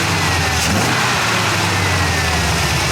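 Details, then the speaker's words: Rebuilt AMC 360 V8 with Summit 8600 cam, Edelbrock carb and HEI distributor, just broken in, idling with 25 psi oil pressure at idle: smooth, even low rumble with no knocks or ticks, healthy. "That's a 900 RPM idle. I'm gonna bring it down."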